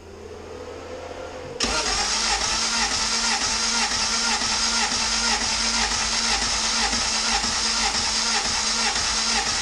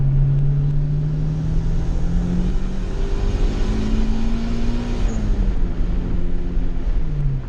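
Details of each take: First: Compression test on a turbo GSR-swapped EG hatchback, spark plugs out. Starter cranks steadily with light, even pulses about twice a second and no firing. The first cylinder tested reads only 90 psi and leaks down slowly; worn rings suspected, engine needs a rebuild. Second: Customer EG hatchback with a GSR engine swap and an eBay turbo kit, retuned; the motor still needs a rebuild. Full-throttle hit in second gear under boost pulls strong, the note climbing smoothly with no misfire or stumble. Quick, running well.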